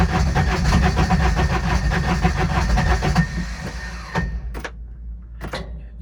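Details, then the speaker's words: Intimidator diesel UTV, in park with a touch of gas: slow, uneven starter cranking at about four turns a second that drags on without catching. Hard start; owner blames a bad bendix and suspects glow plugs, so he fitted a bigger battery. "usually when i'm about to start just a little bit a touch of gas and let's go oh my bendix is not good that's why i crank for so long"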